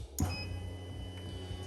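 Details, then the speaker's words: Toyota 1G-FE VVT-i engine in a Lexus IS200 on a new ECUMaster Black modular harness, ignition on: short faint electric hum for a couple of seconds as the fuel pump primes normally, prime duration set by the ECU. "and there you go you can actually hear the fuel pump priming that's again set up by the EC"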